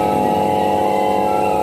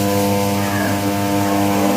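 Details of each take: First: Crompton High Flo table fan after bush and bracket change for slow running and noise, on third speed: smooth, even hum at steady pitch, no rattle or wobble; normal running. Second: Crompton High Flo table fan on first speed, sent in for running slow and noisy: loud steady electrical hum with no blade spin, motor energised but stalled; on second speed it turns slightly but loudly.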